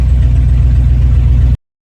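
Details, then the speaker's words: 1996 GMC K2500 (OBS) truck idling right after a starter replacement cured its click-no-start: a steady, even low rumble with no misses or knocks before it is shut off; the engine runs smooth and healthy. "There we go. Brand new starter. Cranks up real nice."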